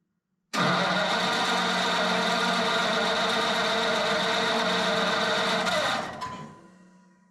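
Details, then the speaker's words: Flathead Ford 8BA V8 from an F1 pickup, converted to 12V with new points, condenser, cap, rotor and coils, starter button just replaced: about five seconds of steady cranking that never catches. The owner plans a direct fuel line to the tank. "all right I'm trying to put that in there while I'm trying to start it at the same time I think my last thing to do is going to be um run a fuel line all the way from the fuel pump to a gas tank and see what it does"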